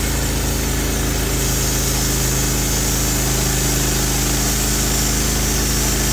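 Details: Norwood HD36 v2 bandsaw mill with new roller guides replacing ceramics, cutting big black oak: steady even engine drone with smooth saw hum, no knocks, squeal or chatter; cut exceptionally smooth, normal cutting under load.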